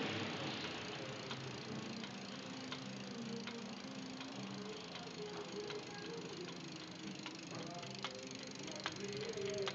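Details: Bicycle wheel spinning: sharp clicking knocks about every two-thirds of a second, once per wheel turn, over a soft rolling hiss. The noise is intermittent, sometimes absent, and its source is unknown.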